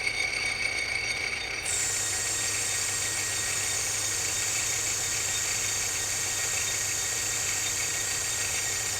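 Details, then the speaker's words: Project lathe running with its newly made back gear: a steady high whine over the motor hum holding pitch, a little noisy gear mesh; the owner says the gear is quiet if mesh depth is right. "other than it being a little bit noisy don't mind that New Gear if you get the depth thing just right on the gears it's actually relatively quiet"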